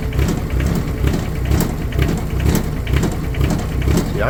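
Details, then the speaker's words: Cold start at 64°F on a Wacker Neuson 803 (Cat 300.9) mini excavator diesel bought as-is: chugs with an uneven, lumpy beat of about two pulses a second, running rough; owner suspects a bad cylinder or bad glow plugs. "thinking that's probably going to be a bad cylinder. or a bad glow plug."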